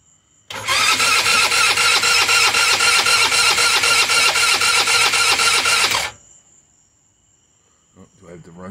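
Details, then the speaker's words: Rebuilt GY6 scooter (Eagle/Jonway/Roketa) with new head, piston and cylinder kit and new carb, on its first crank: starter whirrs evenly about four beats a second with no firing, battery low, because the run/kill switch was left off. "Switch on? No. Dummy. That would help. It would help if you turn the run switch on, Jimbo."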